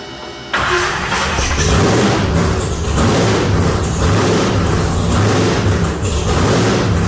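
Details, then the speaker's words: Deathtrap truck V8 back running after rewiring and fuel-line work, on second start attempt following a no-spark try; catches within a second, runs strong with even deep pulses and crisp revs, no knocks or misses; normal running. "all right guys there you heard it death trap back alive sounds good"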